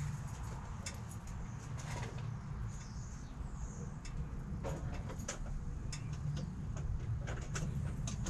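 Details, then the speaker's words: 2015 Peugeot Boxer 2.2 HDI diesel campervan, 130,000 on the clock, just after a timing chain replacement for a noise: steady, low diesel rumble holding even with no misses or rattles, birds in background; smooth, healthy idle. "so the engine's actually running and uh i'll just uh start up and let you have a listen"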